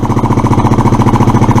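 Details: Suzuki Address scooter, after unblocking fuel valve, running without air filter: single cylinder thumping steadily about twelve beats a second, a touch fast; idle probably set too high, cause suspected, not confirmed.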